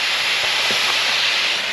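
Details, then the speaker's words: Pressure test of a boat's forward steel fuel tank before welding, hunting a leak at filler or vent: steady, even high-pitched hiss with no pulsing, pressurised air escaping through a small hole at the tank vent; compressed air leak. "However, I can hear the vent leaking, so let's go check that out."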